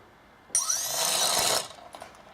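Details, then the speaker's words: Sunnysky 2212 980kv quadcopter motor number one on an F-30A SimonK ESC, spun up from the Naze32 configurator slider: a sharp rising whine settles into a smooth, even high-pitched spin. Normal spin-up, turning in the correct direction. "so if I was to slide this up would hear motor number one spin perfect and I see that it's spinning in the right direction"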